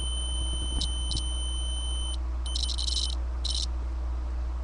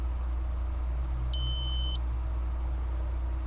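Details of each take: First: Datsun 280Z ignition switch tested in the run position: tester tone cuts in and out in ragged bursts as the key turns; worn contacts cause intermittent starter clicking and ECU resets. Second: Datsun 280Z ignition switch removed and tested with a continuity beeper on the accessory terminal; the steady beep cuts off when the key turns to start, a normal accessory dropout during cranking, unlike the ignition line presumed to feed the ECU.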